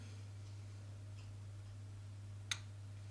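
Faint steady hum, then a single crisp click as the relay pulls in; the plug is switching normally.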